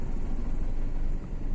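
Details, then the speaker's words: Maruti Suzuki SX4 petrol engine with low pickup and jerking while driving: low, lumpy idle with rpm rising and falling unevenly, one cylinder not firing due to a shorted ignition coil; engine misfire from shorted ignition coil. "इसकी RPM काटा activate और pickup नहीं है गाड़ी को RPM कम ज्यादा कम ज्यादा हो रहा है"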